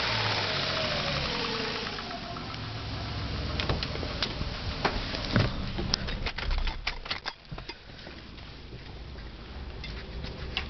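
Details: Ford Taurus SHO engine revving: sharp, uneven knocks break through above about 2.5k rpm after hard driving, none heard at idle, rod bearings replaced about 5k miles earlier; valve click slightly louder than normal at idle.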